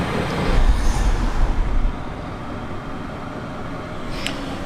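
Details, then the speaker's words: Campervan diesel heater under floor after corroded exhaust and muffler replaced and exhaust and air intake extended, battery at 13.1 V: deep rumble swells a few seconds then settles to steady, even roar; starts and runs normally. "I'm going to run it up until it starts to idle and then I'll cool it down. Switch it off. So, that is working a treat."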